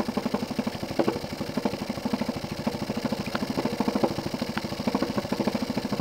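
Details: Jensen 20G steam engine, bought used, with a homemade rubber or silicone cylinder seal; steady, heavy, uneven bumping knock about once a second over the chuff, from a seal fragment loose in the cylinder. Fixed by remaking the seals properly.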